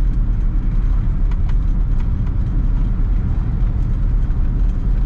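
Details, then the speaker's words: 1950 Pontiac Chieftain, 249 cu in L-head Silver Streak straight-8, 6-volt system, driving on test drive, nearly 180° coolant temp; steady low drone under road and traffic noise, no knocks or misses: normal running. "car seems to be running great it's driving straight engine sounds good everything on the gauges looks good"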